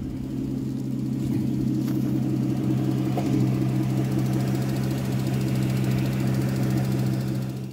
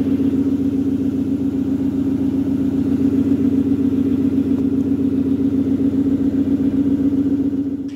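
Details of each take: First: Aston Martin Vanquish engine warmed up (normal from cold): light, uneven tapping about three per second over a steady hum at twice engine speed; valve train ticking, possibly hydraulic lash adjusters, unconfirmed. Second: Second-generation Aston Martin Vanquish V12 at cold start. Steady, even idle with a smooth low drone and no ticking or tapping: normal when cold. The characteristic ticking appears only once warm.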